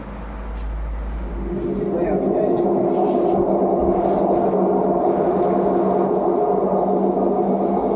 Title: LG Front load washing machine vibration Voice Problem #laundryrevolution